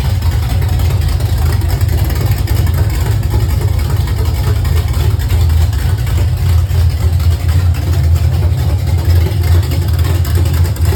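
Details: Refreshed 350 small-block V8 pulled from a Pure Stock race car to fix issues: deep, steady rumble with an even firing beat, no knocks or rattles; runs smooth.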